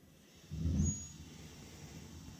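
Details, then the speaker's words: Lennox steam boiler with no heat from a dead transformer and a bad vent damper, running with a rigged replacement transformer: a soft low whump as the gas lights, then a steady quiet low roar; the burner fires and runs normally. "here. So, we have ignition."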